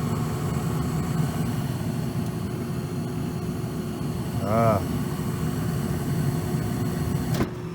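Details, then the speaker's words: Old shaft-through furnace blower motor in a shop: a steady low electrical hum with no normal rise of air rush; the shaft spins freely by hand, so a bad capacitor is suspected rather than a seized motor. "that don't sound good hear it [Music] so it's either locked up or we're going to get lucky and it just needs a cap"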